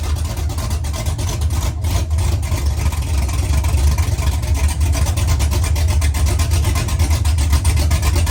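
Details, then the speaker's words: Truck V8 after a mechanical DOD delete, with DOD also removed from the tune, exhaust not yet fitted: deep steady idle with a gentle rhythmic lope and nothing dropping out; normal V8 idle with mild cam lope. "It has a baby chop chop."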